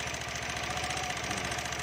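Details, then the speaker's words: Honda Beat scooter serviced a week earlier: fast, light ticking over the idle; the CVT variator had mismatched rollers of two different types, causing the noise. "ni Suaranya berisik ya itik itik itik itik itik itik itik itik begitu ini baru satu minggu di servis ya"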